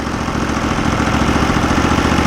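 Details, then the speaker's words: Norwood LumberMate portable band sawmill small engine, about 10 years old, sitting all winter, due an oil change, fuel filter changed and carb cleaned last year: a quick steady putter, even firing at constant speed; normal idle. "well it sounds good uh we're all excited to go ahead and start uh using it here in the spring"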